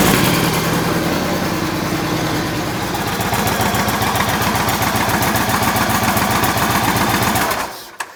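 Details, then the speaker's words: 2008 Yamaha Raider V-twin idling after an oil change refill, before the oil level check: a loping, even beat of about 3.5 pulses per second with no knock or tick, then shut off; normal idle. "All right, let's crank it up and let her idle for a while."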